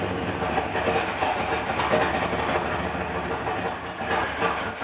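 Engine idling with an uneven, stumbling beat under a busy rattly background; the idle isn't settling, cause not obvious from sound alone.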